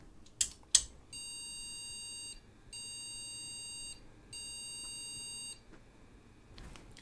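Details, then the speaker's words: PC without RAM or graphics card, BIOS beep speaker fitted: three long, even high-pitched beeps from the board speaker, the memory error code for no RAM detected. "beat pretty much exactly as we expected because there isn't any RAM installed so that's absolutely excellent so we know there's no RAM installed"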